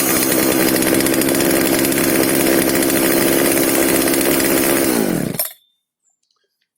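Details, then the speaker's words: FK136 chainsaw that would not start, reassembled and refuelled after diagnosis and repair, started with choke: even, steady high-speed buzz for about five seconds, then a clean wind-down to silence; the saw runs healthy. "Так, бензопилу я собрал, бензин заправил. Сейчас покажу, как она работает."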